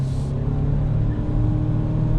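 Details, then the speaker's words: 2021 Nissan Rogue petrol engine accelerating on a warm day with a smooth steady drone and no spark knock after repairing contaminated fuel (ethanol or brake cleaner) in the tank. "I don't hear that spark knocking now."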